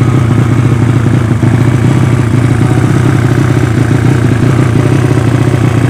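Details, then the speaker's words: Yamaha Vega ZR with swapped Mio cylinder, 200cc, 66mm piston, standard stroke, Tiger cam, open exhaust, test run after long storage: steady idle with rough, uneven thumping beat and flat response; carburettor not yet set, running quite lean. "di karburator belum sesuai agak sedikit tekor bukan sedikit for lagi ya tapi banyak tepatnya"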